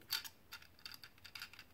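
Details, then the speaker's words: Mr. Coffee automatic coffee maker, control-panel buttons after disassembly and cleaning: crisp light clicks snapping back cleanly, buttons now move freely instead of gummed-up sticking. "let's put these buttons back in and they're all they're all free to move now say that they're not all gummed up and sticky"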